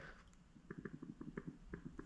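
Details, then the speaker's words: Honda Odyssey FL250 diaphragm fuel pump, bench test by blowing and sucking through the ports: quick soft clicks about eight a second as the diaphragm flexes; working but untrustworthy, a rebuilt pump sounds louder. "You can hear the diaphragm like kind of clicking back and forth. It's actually flexing. So, this one actually is working, but I wouldn't trust it."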